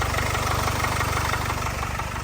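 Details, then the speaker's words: Jaguar/Land Rover 2.0 L diesel at idle: a fast, busy metallic rattle over the diesel clatter, a worn timing chain, a well-known common fault on this engine. "that is to do with the timing train they are very common for it and they're well known"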